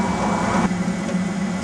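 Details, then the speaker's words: Eberspacher D5W 5 kW 12 V water heater dropped to low power after reaching 60°, circulating warm water: a steady, low fan hum with soft combustion roar and no surging. Running quietly and healthy. "when we reach 60° the heater will then drop down to a very slow there it goes low power usage just circulating the the heat Mount warm water that's in the system"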